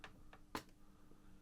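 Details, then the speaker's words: Sony HT-BE1 5.1 home theatre amplifier on the bench, power button pressed: a few relay clicks over a faint hum, but the unit and front display never power on; power isn't getting past the relay. "it does suggest that there is a relay working because we can hear it clicking on and off but then the power isn't getting any further than the relay"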